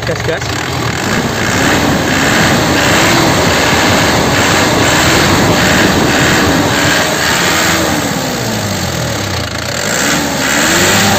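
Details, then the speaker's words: 2010 Isuzu Panther LS Turbo diesel, original and first owner, engine hot after driving: a loud, round, crisp note that rises and falls with revving, with no knocking, tapping or odd noises and no smoke. The engine is healthy. "ranya bulat dan renyah itu pertanda mesinnya sehat ya dari suaranya udah kelihatan ya masih renyah dan suaranya belut tidak ngeflek tidak ada bunyi yang aneh-aneh bunyi bubuk bunyi tek tek tek"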